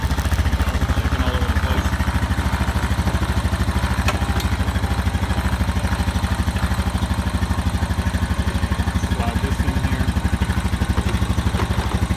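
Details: Honda Rancher 420 ATV after replacing the dead original battery with an AGM battery: single cylinder settles into a steady even thump of about three beats a second, no knocks or rattles; normal idle.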